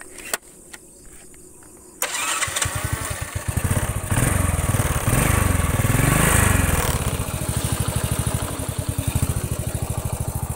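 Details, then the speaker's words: Honda Astrea Grand single after compression-leak repair, run until fully hot: fires up and revs up and down cleanly with an even beat and no rough knock from the head; carburetor setting still remains. "nah ini sudah halus ya untuk bagian kopnya"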